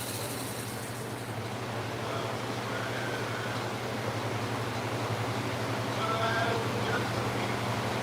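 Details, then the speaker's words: Belt sander whose speed control quit mid-sharpening a week or two ago; steady, high-pitched motor drone never dipping; stuck at full speed, way too fast, new control unit being sent. "The speed control stopped working on it. While I was sharpening a week or two ago, it just sped up. And so now the speed control doesn't work at all."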